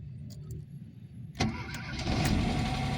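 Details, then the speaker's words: Ford Ka 1.0 Zetec Rocam, cold engine, after oil pump and broken chain guides replaced for oil light and chain noise: quick crank and catch into smooth, even idle, no knock or rattle; oil light goes out immediately. "Ó, tá vendo? Apagou na hora. Então quer dizer que a pressãozinha do óleo ficou legal, tá?"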